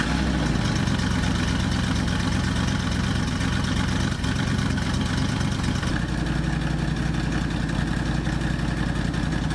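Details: 1976 Ford Ranchero 500 V8 with HEI ignition, started after U-joint replacement. It catches and runs lumpy with an uneven low beat and a dip around six seconds. The owner then swaps out a part, calling it junk. Rough running after start.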